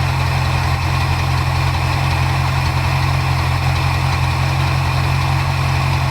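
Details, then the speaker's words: 1977 Ford Ranchero GT 351 Windsor 5.8 V8, FMX auto, after carburetor rebuild and idle mixture adjustment, air cleaner off. Deep, even idle with steady beat, no stumbles or misses; mixture set right, normal idle. "it's where it sounds right it's see in gear that would have been a bad mistake but yeah it sounds okay"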